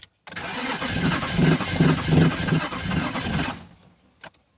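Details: BMW Z3 engine, sitting a while after being removed and reinstalled: starter cranks evenly for about three seconds but it never fires; owner suspects misfire.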